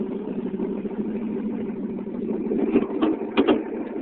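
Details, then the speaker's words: 1972 John Deere 4230 tractor, about 7,200 hours: steady, even diesel idle just after a cold start, no misses or knocks, only a few brief bumps near the end; normal cold idle. "the ignition is on and let's start it [Music] wow that was a great cold start guys"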